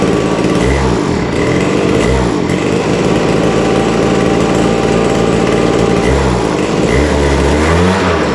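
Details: Vintage WeedEater two-stroke leaf blower, Walbro diaphragm carburetor with no high-speed mixture adjustment, after carburetor work and air cleaner off: buzzes fine at idle but surges and stumbles opened up, refusing full throttle; lean at the top end.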